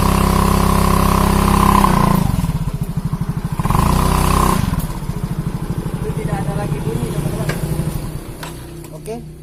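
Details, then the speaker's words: Automatic scooter after CVT repair for weak hill climbing and squealing under load: final test with rear wheel spinning, revs up and settles with an even smooth drone, no belt squeal; transmission now running normally. "sudah tidak ada lagi bunyinya itulah tutorialnya pada saat ini"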